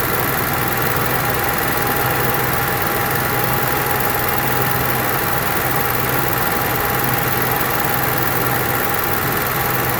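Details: Onan Marquis Gold 5500 generator after carburetor cleaning and adjustment (mixture about three turns off the seat, formerly surging) drones at constant speed with a steady low hum, no rise and fall; runs smoothly without surging.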